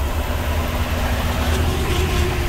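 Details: 2012 Chevy Express 3500 van, 6.0 L LS V8 with a bad transmission, driving in manual sixth gear: deep, even low drone under the engine note; owner suspects the torque converter was not locking up until sixth.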